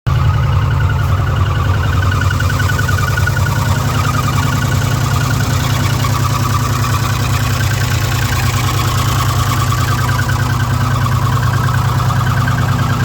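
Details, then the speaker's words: 2006 Ford F150 5.4L V8 with code P0016, bank 1, at idle during a warranty inspection: even idle with a fine rapid ticking from the valve train up top, located around cylinders 2 and 3. "In the valve train up top. And somewhere in this area, so 2 and 3. That's just, I mean, that's about where the noise is comi"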